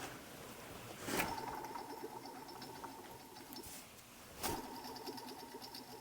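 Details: Jeep Liberty aftermarket idler pulley from idparts.com, spun by hand: a faint gritty whir with a light rumble as it coasts down, suggesting a rough bearing. Cause suspected, not confirmed.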